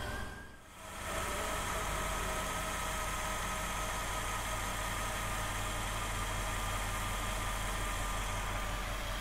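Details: Jeep Grand Cherokee WJ 4.7 L V8 after water pump replacement, idling while coolant is bled and warming up: even, steady smooth low rumble with no knocks, misses or squeals; engine running healthy.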